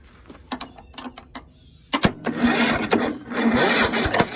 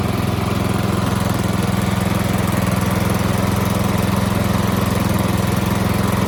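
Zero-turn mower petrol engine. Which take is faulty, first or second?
first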